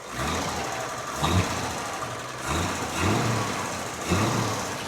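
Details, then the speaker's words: One-owner 1955 Chevrolet Bel Air with 235 inline-six, never rebuilt, 17K original miles, 3-speed manual, single exhaust, idling: low, steady idle with a soft even beat and gentle once-a-second lope, no knocking; no smoke, very quiet. "There's no smoke coming from the rear. Single exhaust, very quiet."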